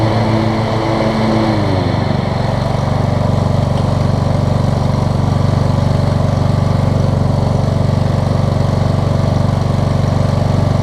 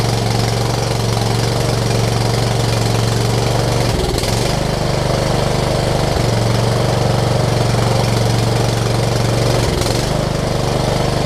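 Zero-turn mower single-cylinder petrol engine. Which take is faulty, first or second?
second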